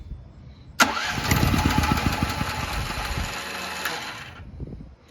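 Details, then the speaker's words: New Firman T07573 tri-fuel portable generator, first start attempt on propane from a light-feeling tank, choke/start set; uneven churning crank about 3.5 seconds without firing, no-start, owner suspects a tank issue. "we're not having as much luck so far"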